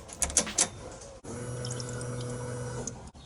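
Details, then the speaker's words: Peugeot 206 rally prototype with 2003 Impreza WRX running gear, first start attempt: after clicks, steady low electric hum and faint whir for about two seconds as the external pump fills the swirl pot; fuel pump priming. "can hear the swirl pot filling up probably completely empty so it's just priming through"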